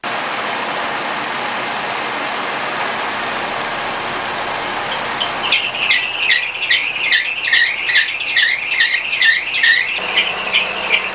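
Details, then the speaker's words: 2005 Honda Accord 2.4 VTEC idling, squealing since a new belt was fitted: pulsing high chirp-squeal, two or three per second, when the air conditioner adds load and forces the belt across, misaligning it in the pulley grooves; a previously replaced, damaged bearing housing is suspected out of round. "you could clearly see that the belt was moving across every time the air conditioner was put on extra load forced the belt across and therefore it would miss align the belt within the pulley grooves causing it to squeal"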